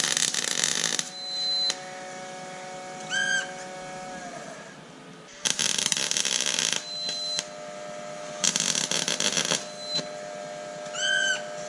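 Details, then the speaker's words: Air tank valve during 1993 Ford Bronco work; intermittent sharp hissing bursts every few seconds with a thin squeal, stopping sometimes when the valve is shut and reopened; cause unknown. "the valve on my tank that's that now it's not doing that's that noise you've been hearing in the background I don't know why it does that"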